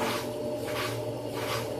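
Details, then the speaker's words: Brastemp Clean 10kg washer, weak and noisy on spin, would not spin until pushed by hand: slow spin with a rough humming whir and a whooshing swell about every 0.75 s from a worn bearing. "o barulho do rolamento tem um rolamento aí ó lá pegou velocidade eu tive que ir com a mão aí ó centrifugou mas eu tive que fazer força com a mão certo"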